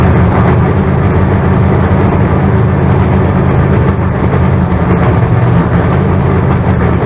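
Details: Freshly built 388 small-block Chevy V8. Deep, steady rumble with an even beat and no knocks or ticks; about 80 psi oil pressure and no oil leaks, running healthy.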